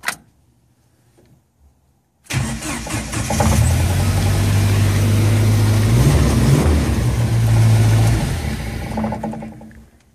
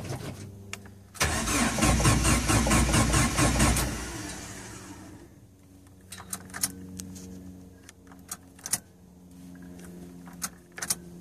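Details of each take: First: Jeep YJ Wrangler with delayed/no-start, suspected failing ECM ("lazy PCM"): after the ECM is struck with a screwdriver, it cranks briefly, fires, revs up and holds a steady run before dropping away; engine starts and runs. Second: Jeep YJ Wrangler, intermittent delayed or no start ("lazy PCM"); quiet, then the engine catches and roars up before settling, with odd sharp taps afterward; banging the ECM gets it to start, pointing to a failing ECM.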